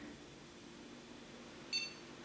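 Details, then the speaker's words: SIS 85C496 PCI Socket 3 motherboard, after moving a PCI jumper not listed in the manual: quiet room, then one short clean high-pitched beep about a fifth of a second as it powers on; normal POST beep, board works. "powering on again and spinning oh my goodness it works i can't believe it that's amazing so it was that jumper"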